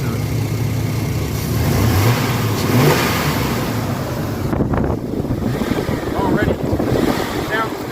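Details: Chevy 4.3L Vortec V6 in an S10 truck with a worsening erratic random misfire, after the new distributor's ignition timing was advanced slightly: engine revs and settles with a steadier, even beat and no obvious stumble; running smoother.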